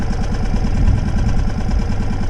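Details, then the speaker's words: Sailboat outboard on its first start after bad stored fuel was cleared, primed and idling cold in neutral for the recommended 10 minutes: low, even pulsing idle with no knocks or rattles, running normally. "so i'll let that run now for 10 minutes as recommended for first first time starting up we recommend 10 minutes to let it idle for before you start moving up the ladder on the rev"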